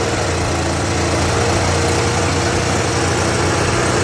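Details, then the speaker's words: Yamaha Jog 50cc two-stroke scooter after the spark plug was refitted, no fuel filter fitted yet: starts and buzzes fast and steady with no dip or hunt, idling too high though carburetor reportedly untouched. "it does start that's a good thing um but from what i can hear is that it is idling very high um i do not know why that is the case because from what i know from what i hear they didn't do anything to the carburetor"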